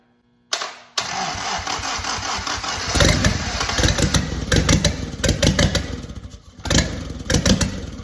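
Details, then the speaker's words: WWII 1943 Willys Jeep Go Devil engine, decades unrun, fitted only with a new distributor cap, coil, starter and spark plugs: it catches after a brief crank and settles into an uneven but steady idle, pulsing slightly, with good oil pressure; a healthy run. "All I put on it was a distributor cap, a coil, a starter, and new spark plugs. And she fired right up. My oil pressure's good."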